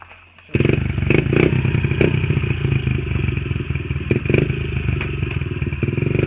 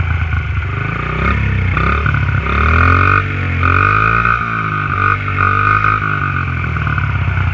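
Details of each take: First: Honda XR50 pit bike with aftermarket pipe, hot after riding: revs unevenly, with stumbles and rattly bursts breaking the exhaust note; sputtering worse again despite a carb clean the night before, and the owner expects to clean the carb again. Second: Honda XR50 pit bike on stock exhaust pipe: small single-cylinder revving up and down, pulses even and crisp, no knock or miss; normal running.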